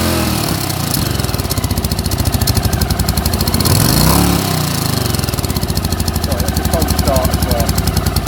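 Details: 1981 Honda CX500 twin idling on newly fitted exhaust pipes, with a temporary home-made bracket: loud throbbing idle with a steady beat that swells on throttle blips and settles back; something sounds off, cause unclear.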